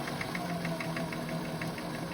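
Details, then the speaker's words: Singer 533 sewing machine after cleaning with grime soap: quick, even ticking at a steady pace, no harsh knocks or dragging; runs much better, normal running. "Way better. And that's what the machine needs. It's just a little [snorts] cleaning."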